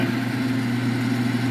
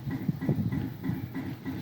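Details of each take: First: Smoke-N-Seer pellet grill auger motor, tested via controller auger button, wet pellets previously dug out: steady even motor hum, constant low drone, no catching or grinding; auger turns freely and normally. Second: Pellet smoker grill (Smoke-N-Seer) burn pot, temperature climbing fast with stock controller: low pulsing thump about four times a second in a steady pattern; weird mechanical noise of unknown origin, probably not the auger.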